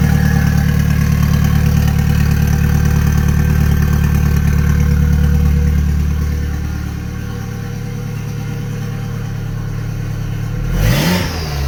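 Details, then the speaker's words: Toyota MR2 with an Audi 1.8T engine swap after days of diagnosis: a smooth four-cylinder idle with an even pulse that eases down steadily. There is no more knocking from the bent rods and no misfire; it is running properly. "That is this thing running on four cylinders. Sounding happy, healthy. No more knocking from the little ends or piston slap, sorry, from bent rods."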